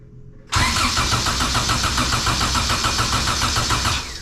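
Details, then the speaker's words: 97-ish Acura Integra GSR, unknown build: starter spins the engine steadily at about three compressions a second for three seconds and it never fires; no spark, confirmed with a known-good spark plug. "so we have no spark i just confirmed that by putting a little spark plug in there that i know is good"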